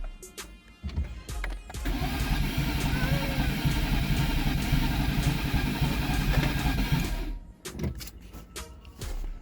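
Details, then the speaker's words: 2011 Nissan Teana just fitted with replacement engine (old one needed camshaft), start attempt; even starter cranking about four turns per second for five seconds, no firing; crank no start, traced to a connector left unplugged. "Nothing never happen. Again. Okay. Yes, I'm gonna miss this here plug. I don't know how I'm gonna miss this here plug, man."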